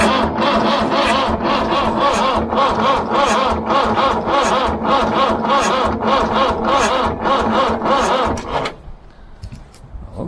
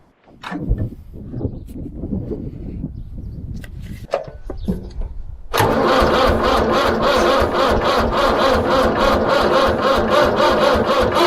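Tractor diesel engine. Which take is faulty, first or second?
first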